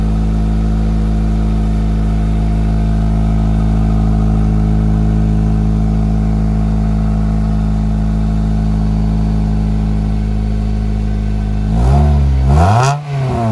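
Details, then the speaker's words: 2005 Acura RSX with race header and 2.5 in exhaust, just after replacing exhaust and header gaskets: steady even idle, deep smooth drone, no ticks or puffs, then two quick clean revs; sealed exhaust. "yes that sounds so much better doesn't it"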